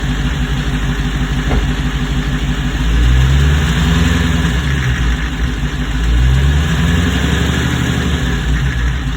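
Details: 2021 Hellcat V8 idling and blipped: dull low knock beneath the exhaust, diagnosed as rod knock one year later.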